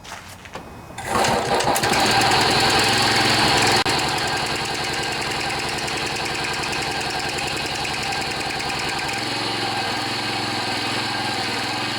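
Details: John Deere 14PB push mower, Kawasaki 5.0 hp OHV, after sitting outside; carburetor cleaned with plugged slow and main jets. Catches after a short crank, then a smooth even putter settling slightly lower, no misses; runs cleanly.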